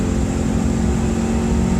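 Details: 1993 Subaru Impreza GC2, FWD, EJ18 engine, manual with cable clutch, quick downshift into third at just over 60 mph: steady engine drone holds an even pitch with no crunch or grind; clean, healthy shift, solid shifter engagement.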